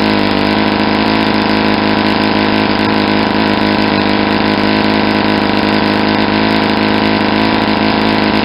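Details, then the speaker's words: Saito 50 four-stroke model engine on its first run after a rebuild (new ring, new bearings), warm, APC 11x7 prop, Morgan's Omega 10% fuel. The needle is leaned near peak RPM: a steady high buzz with no sag or surge, less exhaust smoke and RPM picking up. It is running a touch lean. "I'm going to lean it out now so you can see the difference in the amount of smoke for exhaust and the sound see how much the exhaust most decrease how the sound of the engine picked up an RPM I was getting near the peak"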